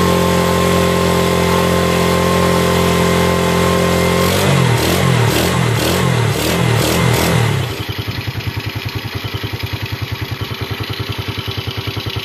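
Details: Yamaha Vega RR/ZR single after combustion-chamber carbon cleaning with foam cleaner, started after hard cranking: revs up and settles into a steady, even putt-putt idle around two and a half beats a second, no misses; normal running.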